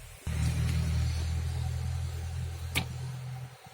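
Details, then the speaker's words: LPG car with a starting problem, after LPG solenoid cleaning, filter change and a leak check; gas flow test shows a steady, even engine hum that starts cleanly without stumbling, so the gas is coming through properly. "നല്ല രീതിയിൽ gas വരുന്നുണ്ട്, ശബ്ദം കേട്ടാൽ അത് അറിയാൻ പറ്റും."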